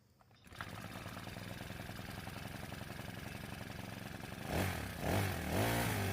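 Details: Honda grass cutter engine after valve adjustment fixed failure to take throttle, idle screw turned in a couple of turns, clutch not yet fitted; catches, idles evenly, picks up cleanly on throttle blips; running properly.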